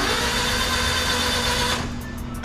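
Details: JDM Honda Acty van with fresh engine rebuild whose timing was found 7 teeth off: starter spins the engine steadily under two seconds, then drops off without firing; cranks but won't start, cause unconfirmed.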